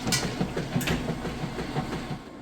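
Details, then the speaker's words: Whirlpool Super Capacity Plus direct-drive top-load washer, three-speed motor, lid open with lid switch bypassed: repeated even swishing strokes with soft knocks as agitator churns clothes; normal agitation. "you see that agitator doing excellent job getting those clothes Vortex down along all the fins for manual agitation doing an excellent job"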